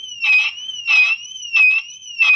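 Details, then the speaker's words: 2006 Mercedes W211 E350 4Matic with its alarm siren disconnected from the car: a shrill warbling tone in bursts about every two-thirds of a second, running on the siren's internal battery while the car is in panic mode flashing the fog lights. "make sure you disconnect your battery as well this is actually as an internal battery and that's why it's doing that well it's also setting the fog lights off so the car has just gone into panic"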